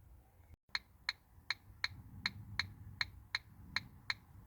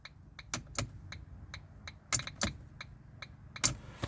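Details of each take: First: Ford Focus Mk1 indicator: crisp, even ticks about eighty a minute, soft and high-pitched, from an electronic flasher relay/beeper; owner assumes it is a little worn, sounding different from the new one. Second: Mk1 Ford Focus cabin after restoration: a run of sharp dry clicks, uneven in strength, over a quiet cabin, the indicator ticking normally after fitting a replacement, barely worn indicator stalk.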